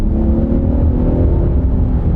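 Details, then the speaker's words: 2020 Hyundai Palisade, first model year, four years old with original owner: deep smooth rumble building evenly under throttle when stepping on the gas, no knocks, misses or whine; engine and transmission pull cleanly and sound healthy. "step on the gas this thing gets up and goes it's got some get up and go"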